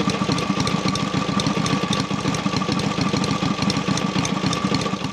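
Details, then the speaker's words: Rebuilt Matchless G12 twin (new crankshaft reground undersize with new shells, conrod, main bearing; scored barrels and pistons cleaned up) after road test; steady, even tick-over, regular low beat, no stumbles or knocks, clean. Normal idle. "we've had it on tick over now we've revved it a few times it's clean"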